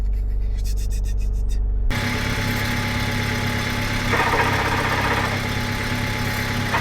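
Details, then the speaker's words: 1999 Honda Civic dirt-track project with the muffler chopped off: the idle is fairly even, then a rough whirring growl starts as the clutch pedal is released, pointing to a worn gearbox input shaft bearing. "So, what that tells me is we're going to have to do a input shaft uh bearing."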